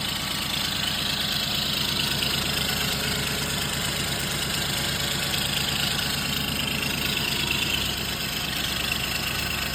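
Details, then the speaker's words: Car at idle with lean oxygen sensor code, smoke and bad smell: steady dull tapping three to four times a second low in the engine, suspected knock, possibly cam; exhaust leak also heard. Cause unconfirmed. "Yeah, I I think the knock is on as well."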